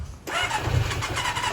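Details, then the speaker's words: Kawasaki ZX400D motorcycle, not started for a long time, after fresh oil, oil filter, new battery and fuel; brief crank then catches at once into quick even idle, healthy first start. "isn't that just one of the sweetest sounds ever a motorcycle engine starting for the first time in ages"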